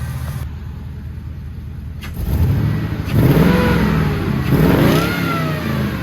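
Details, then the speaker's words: HD truck "Holly" after a coolant leak repair, temperature not above 210, check engine light still on, throttle body effect untested at wide open throttle: engine picks up cleanly through rev blips and settles without stumbling; running well, no leaks. "sorry for the audio ahead of time but hasn't gone over 210 it's running and driving pretty good"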